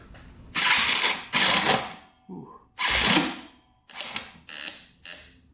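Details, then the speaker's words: Yamaha TTR230 dirt bike, non-running, cranked on a charger: short harsh clanking, grinding bursts each crank with no catch; owner unsure if starter gears or a bearing. "Alright, so something's definitely grinding in here. I don't know if it's the starter that's grinding on the gears in here, or if there's a bearin"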